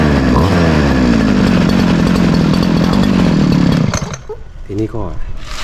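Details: Model 411 two-stroke brush cutter started after replacing a broken clutch spring. It revs up crisp and steady with no hesitation, then drops back and cuts out, sounding healthy.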